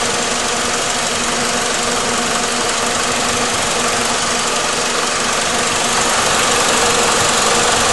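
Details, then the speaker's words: 2004 PT Cruiser being diagnosed for overheating, after topping off coolant, idling about 10 minutes at normal operating temperature: steady, even rush of air from the radiator cooling fan over a smooth idle, no knock or rattle; fan operating normally. "You can kind of hear it. And I can feel the air coming off of it. It's operating as it should."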